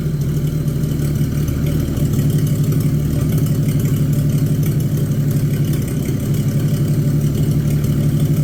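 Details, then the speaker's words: 1950 Chevy 1-ton truck, abandoned Chevy 216 inline-six on restart: steady low idle with a loping, uneven beat, one weak cylinder; still using oil, smoking and running poorly, though better than expected. Worn piston rings. "now this engine here is actually better than I thought it was going to be but uh it's still not good still using oil it's smoking and it's not running the greatest"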